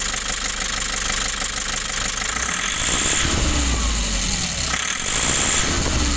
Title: Nissan Urvan Estate E25 Injection Timing FB P7 problem (knocking sounds)